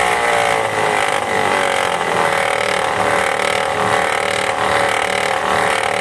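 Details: 2005 Volvo V70 clutch-type alternator pulley: loud, constant mid-pitched gritty whine over the running engine; pulley wobbles slightly side to side, and the alternator's own bearing was also bad; worn alternator clutch pulley and bearing.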